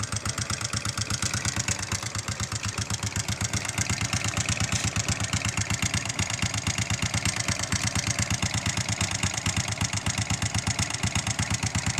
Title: honda xrm 125 knocking sound